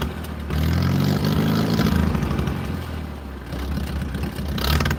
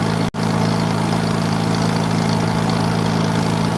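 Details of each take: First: 1940s wood splitter with an International Cub engine, cold start at about 50s °F with an aftermarket carburetor: low chugging beat rising and sagging as the choke is finessed until warm. Cold engine running on choke. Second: 1940s wood splitter with an International Cub engine, running after about 40 minutes of starting and with the main jet richened, as hydraulic pressure is released. Steady low-pitched idle with an even beat, no surging: normal running, though the carburetor needs work.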